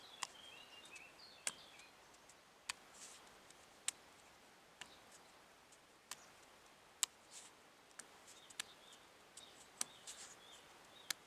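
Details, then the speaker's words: Royal Enfield 550 unit-construction Bullet engine being stripped: sharp dry clicks, about one a second, as the loose piston is rocked by hand in the bore; clearance well beyond mild piston slap. "a bit of piston slap is no problem but the trouble is that piston able to rock like that"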